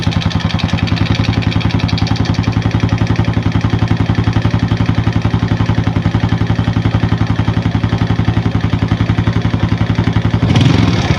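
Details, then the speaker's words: Started at 1 pm in hot sun with thin warm oil: even rapid ticking clatter about four beats a second, quieting after about 10 s as oil pressure builds; normal startup valvetrain noise before oil pressure. "เป็นการสตาร์ทเครื่องตอน13:00นแดดร้อนอยู่แล้วน้ำมันมันเหลวแล้วแต่ถ้าเป็นตอนเช้าเสียงเครื่องยนต์นะครับมันจะดังยาวนานกว่านี้นี้เยอะนะครับ"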